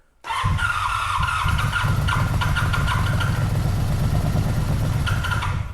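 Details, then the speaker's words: 1985 Honda VF700 Interceptor V4, first start after sitting, firing on all four with a little two-stroke fuel added; catches and settles into a steady low rumble with even pulses, no knocking yet; normal running. "Sounds pretty good. I don't hear any knocking yet, which is nice."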